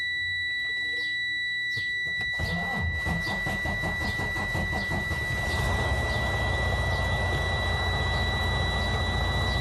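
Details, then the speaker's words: Used truck tractor sat for a while, cranked during pre-purchase inspection: steady high-pitched alarm throughout cranking and catching, the low battery voltage warning, voltage then rising; low voltage warning alarm. "now we see them there is not lies on nothing we have this low voltage because it drug is being sitting for a while so when I attempt to start the engine"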